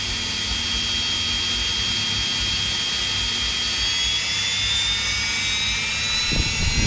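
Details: Electrolux EWF771 7 kg front-load washer in the spin-dry test after a no-wash, no-spin, motor-not-turning fault: smooth rising whir as the empty drum spins up, no thumping or scraping. Drum bearings still good and quiet, possibly replaced before.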